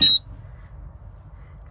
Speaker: and yes I have a Earth faal on the system I have to fix